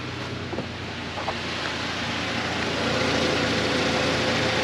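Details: 2009 Toyota Hilux Workmate 2.7L petrol, just after an oil change and filter service, running to check for leaks: an even, steady idle with a regular firing beat and no knocks or rattles. Normal, healthy idle.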